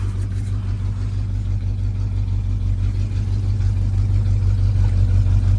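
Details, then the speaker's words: 1985 Chevy C20, sat outside 10+ years, started with some choke: steady, even low rumble with no knocks or misses. Normal idle, though the fuel pump is later found leaking fuel, a torn diaphragm suspected. "It sounds good. I'm gonna let it run for a minute."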